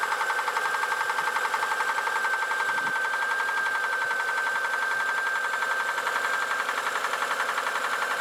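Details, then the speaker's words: Engine running with an even ticking knock about two per second over a high whine; knock newly appeared, cause not yet known. "Итак друзья произошло следующее Застучал двигатель"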